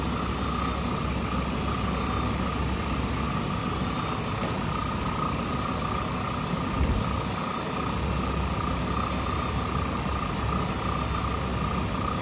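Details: 2007 Chrysler 300C Hemi V8 after overheating, coolant refilled, heat on to bleed air: steady, even idle with smooth low rumble, no knocks or misses; healthy.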